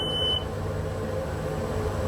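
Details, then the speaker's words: Sea Ray Sundancer 320 boat engine before cranking: a short beep, then a steady low hum with a faint hiss as the fuel pump primes normally. The earlier no-restart fault was a cracked mini fuse protecting the fuel pump. "and that was a little hissing sound now I've got enough to start"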